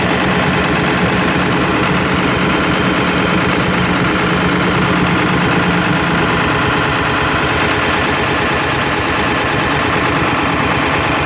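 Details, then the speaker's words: Ford F250 7.3 Powerstroke on first 2.7-mile test drive after injector work, unable to build boost: steady diesel running with uneven, lumpy knock, one cylinder missing; owner tried bleeding air, traced to a miswired injector harness. "so I'm out on my first test-drive of it you get here it kind of has like a little bit so it sounds like one of them is kind of missing"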